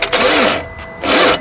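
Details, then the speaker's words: 2012 BMW 640i, bought with a reportedly seized engine, first start attempt on a good BMW battery plus a jumper: two short, wavering starter bursts that die off without the engine catching. It is getting closer, but still no start. "all right guys moment of truth right here first startup ah nah nah it sees bro it's getting closer but"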